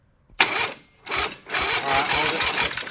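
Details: Predator 670cc turbo methanol V-twin cranked during a starter voltage-drop test: three bursts of fast, even cranking without catching, no grinding or slowing. Battery-to-starter drop is 0.2 V, acceptable; the ground shows half a volt with a loose connection.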